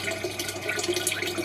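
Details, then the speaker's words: A small battery-powered circulation pump starts on the coolant plate of a wood-stove thermoelectric generator, a steady low motor hum under a lively coolant trickle and gurgle; high flow, and generator voltage rises from 4.8 to 8.4 V. "I'm going to start the pump off on the battery. So let's connect that up there. Should be able to hear that pumping into the."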